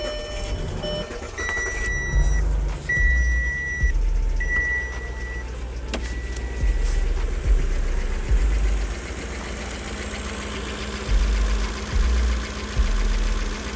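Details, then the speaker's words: Audi A8 with 310,000 km, just after replacing the pulley and adding coolant: low, even, much quieter idle with a couple of dash chimes, only a faint light ticking left; revving also sounds smooth. "咱们可以听到现在发动机的运行声音要比刚才安静很多，除了还有一点点哒哒哒的杂音之外，基本没掺杂别的噪音了。"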